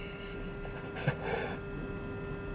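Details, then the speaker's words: VW Beetle EV conversion, ignition on, motor not running: quiet steady electrical hum at one pitch from the main contactor buzzing; cause unknown. "you can hear the main contactor buzzing some do some don't can never figure out why"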